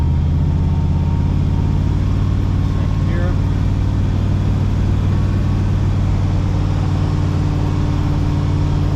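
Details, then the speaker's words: 4L80E automatic that had whine and no gears, after new fluid and a filter replacing one found clogged solid, on a test drive: steady low cruising drone, no slipping, flare, clunk or whine; transmission working normally. "New fluid and um new filter put back in and fired her up, took it for a run. Uh no slipping, no noise."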